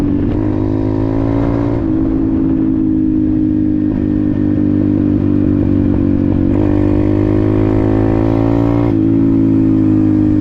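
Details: Apollo RFZ 125 X18 pit bike, after swapping the stock carburetor for a new NIBBI PE22 22 mm carb (jets unchanged, briefly adjusted), on a test ride: engine pulls cleanly through the revs, pitch climbing smoothly with no popping or stumbling; healthy acceleration.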